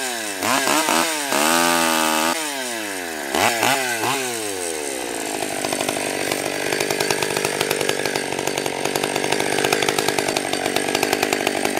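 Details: Stihl 020 AV chainsaw, first cuts after a carb rebuild, new gasket, clutch, chain and nose-bearing bar: clean revs climbing and dropping, then a steady snarl holding under cutting load; runs strong and even.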